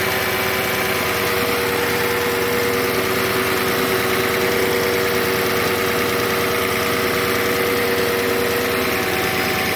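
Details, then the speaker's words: 2007 Audi S8, about 73,000 miles, cold start after sitting at least a month: steady idle with a high-pitched air pump running and light fast normal injector ticking, no knocks; healthy. "You can hear a high-pitched noise. The air pump is running in the background. Other than that, I don't hear anything besides the normal injector noise."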